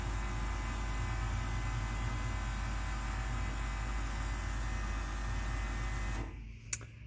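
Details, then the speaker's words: Ford engine with Holley Sniper Stealth EFI, key-on with foot on accelerator: fuel pump hum runs on about six seconds then cuts abruptly, failing to stop after prime about one in ten cycles, flooding engine otherwise; owner suspects ECU or handheld. "so that's the problem it's approximately one in 10 times when it does prime it also over fuels the engine"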